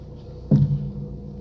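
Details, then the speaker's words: Lada Priora, front right suspension: one dull heavy clunk when turning the steering wheel, appearing after the strut mount was replaced; owner suspects the spring slipping off the bearing or cup, not the mount. "я думаю скорее всего это не опора это что-то вроде пружина соскакивает с опорного подшипника либо со стакана"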